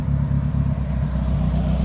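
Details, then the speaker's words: Nissan 240SX with turbo KA engine (KA-T) after reassembly and timing adjustment (had lost compression in cylinders three and four), ECU thought to run fixed timing; steady, even low note with no misses, knocks or ticking: running smoothly. "that runs really nice though i think honestly his distributor his ecu is running fixed timing if i remember correctly"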